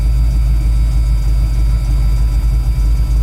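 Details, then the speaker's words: 1985 Ford F-150 just started on an HEI distributor that replaced a failed MSD/Holley dual-sync unit, starting quicker, idle coming down at 21%. Deep, steady, unbroken rumble, no knocks or misses. Normal cold warm-up idle. "this starts up a lot quicker with the uh hii it doesn't have to sink we're coming down on idle we're at 21%"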